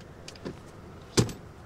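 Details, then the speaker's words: Audi TT interior, rear flap closing: a light rattle, then one sharp clunk as the flap finishes shutting. The flap is definitely a little loose. "we need to sort the flap on the rear there that was a bit of a noise as this closed wasn't it what was that noise"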